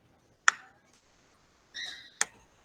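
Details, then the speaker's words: Braille slate stylus marking properly: two sharp, crisp clicks about two seconds apart, each a clean snap as the dot punches through the paper, written right to left. "ele faz esse barulhinho quando eu sei que o ponto Ficou ali certinho marcou"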